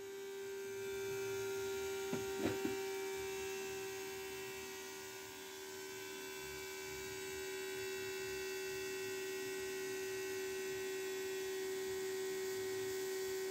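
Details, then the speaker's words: 2003 Dodge Ram 3500 dually with an upgraded lift pump building pressure before starting: steady, even electric hum with no surging or grinding and a brief clunk early on. The pump is running normally and reached 13 PSI. "so now we're gonna see what happens here let's see what kind of pressure this thing can make"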